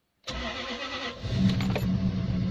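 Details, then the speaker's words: Lexus LS400 V8 after auxiliary belt tensioner and idler pulley replacement and new spark plugs, first start after days of failing. Brief crank, catches at once, settles into steady even idle with no misses; belt area now quiet, normal start. "Oh all things quiet from the Belt area so there you go it's taken days but we finally got there and I finally got the M Lexus working again"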